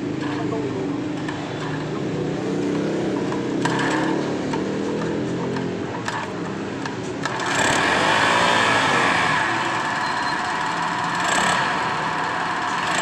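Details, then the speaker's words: Petrol-fuelled steam sprayer engine that reportedly starts hard and dies when throttled: runs harsh and gritty with an uneven rattle about three beats a second; suspected worn crankshaft bearing, engine to be fully disassembled. "ya Suaranya sangat kasar sekali ya temprasak Jadi kalau suaranya kasar seperti ini diperkirakan ini bagian kelahar atau bearing ya bearing askrup"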